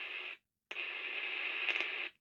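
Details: Lakeland IC 2-watt model 101 vintage handheld CB radio that had power but no sound: during repair, a clean steady hiss cuts out briefly and returns strongly with no crackle. Receiver audio is now working.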